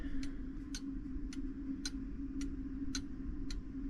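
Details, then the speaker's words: Fusee clock movement back in its case after the brass wire was rewound onto the fusee: crisp, evenly spaced ticks about every half second (roughly 110 per minute) over a faint hum. The clock is running normally. "as you can hear and see um the clock dance clock is uh running perfectly"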